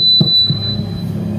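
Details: Microphone feedback: a steady high-pitched squeal through the clip, because the mic is too close to the speaker, heard while testing an amplifier mic input modified with resistors and capacitors to reduce feedback.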